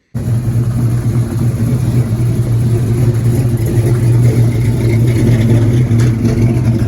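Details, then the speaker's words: LS-swapped C10 pickup, 6.0 with 243 heads and cam of roughly 575 lift, after retune: deep, steady rumble with even firing beat, no knocks or ticks; runs good, real responsive going down the road. "Little truck sounds good, runs good, feels good going down the road. Real responsive."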